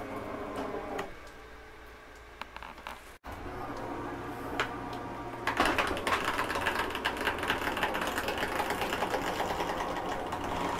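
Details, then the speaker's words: Catalina 271RKS travel trailer slide-out reaching full retraction; quiet start then fast steady clicking about three or four a second as the mechanism stops it going further, normal end-of-travel. "i want you to hear that don't worry when you hear that that's just a slap keeping itself from coming in any further"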